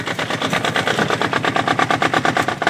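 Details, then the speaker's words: Kubota diesel microcar engine after rocker arm clearance set to 0.20 mm, checking for no clac-clac tapping and no breather leak: even rapid diesel clatter at idle, steady pulses, no separate tapping; normal idle, valves correctly set. "Si elle démarre au quart de tour, c'est que vous avez fait quelque chose de bien."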